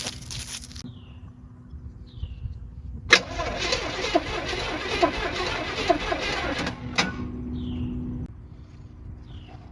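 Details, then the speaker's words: Old motorhome engine, eyed as a donor motor for a 1940 Chevy truck, on a replacement battery after sitting for a long time; steady starter cranking, turns over freely but doesn't fire. Owner suspects corrosion on the distributor rotor button. "did you hear that I heard it cranked right over"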